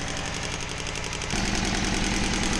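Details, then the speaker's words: Honda Civic D16Y7 during exhaust manifold leak checks: a lumpy, loping, shaky idle running on only two of four cylinders because two spark plug leads were left unplugged; reconnecting them restored smooth running. "it's going to run so much better on four cylinders instead of two surprised it even started and ran on two cylinders it's impressive"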